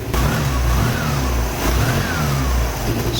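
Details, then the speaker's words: 2008 Piaggio Fly 150 scooter, first start after crankshaft replacement following an oil-starved, cooked rod bearing: small revs settling cleanly to an even idle, no knocks, oil light off; the starter is slightly sticky. "sweet starter seems like it's a little sticky but it retracts eventually awesome yeah oil light turns right off sounds good seems to run really good I'm happy with that"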